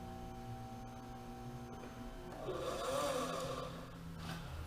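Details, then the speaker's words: 2013 Cadillac ATS engine cooling fan, not turning on, tested by applying direct power to the blue wire: motor hums with wavering, sagging pitch turning into a rough uneven roar and trips the circuit breaker; fan motor shorted, bad. "says circuit breaker tripped circuit Baker trip please wait boom it comes right back so let's Tommy is the fan is shorting it out is shorting out right there I already know the fan is bad so we're gonna start with that"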